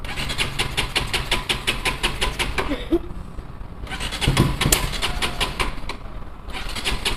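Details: Bajaj Pulsar NS200, idle about 3 months, after battery replacement, petrol added and the water-carbonised kill switch cleaned: engine catches and settles into an even, steady putter with no misses or stumbling; clean start and healthy idle.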